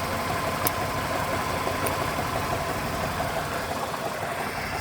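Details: 2000 Ford Ranger 2.5L idling with a faintly uneven, lumpy beat under a constant hiss, as if a cylinder drops out now and then; engine misfire.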